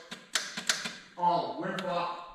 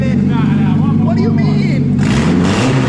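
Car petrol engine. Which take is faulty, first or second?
first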